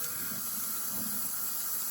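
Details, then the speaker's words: Homemade 18-ounce injector (injector 2) on a 5-inch gauge Manning Wardle live-steam locomotive: it lifts and feeds, but a steady hiss with a wet, splashy sputter replaces a clean tone. The delivery cone may need opening out. "the steam a more it is feeding it's a bit splashy delivery cone might need opening out a bit but it does lift so it does feed"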